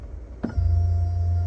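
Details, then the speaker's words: Tesla Model 3 refresh (Highland), 2024: power telescoping steering column adjusting. A click, then a loud, steady low drone with a faint higher whine from the column motor. The driver calls it unusually noisy, a build-quality issue. "that's pretty bad. I don't personally recall. Oh, is it gone? Oh, there it is. I don't recall any power articulating steering wheel making a sound like that before."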